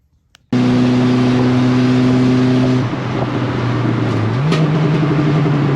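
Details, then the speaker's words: Race car on track under load at high engine speed: steady high drone, then at about three seconds the note breaks into a rougher, uneven rumble as the differential fails, a known problem on these cars. "So that was the differential. It's a known problem on these cars. It happens."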